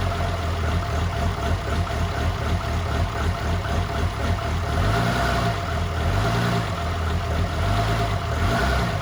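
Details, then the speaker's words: 2007 truck with fresh 6.7 Cummins swap, first fire, low 10.5 V battery, downpipe only: deep steady idle with slight loping chop, likely from the 14 mil, even firing; runs healthy. "It fired right up. You guys heard it. Idled pretty smooth. I think the 14 mil is giving it a little bit of the chop."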